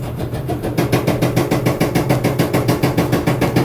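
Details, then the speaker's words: LG front-load dryer model DLE1101W running: even thump about three and a half times a second over the drum rumble; owner suspects a bad drum support wheel, later replaced with wheel, belt and tensioner kit. "so I think one of those Wheels is bad put that out of its misery"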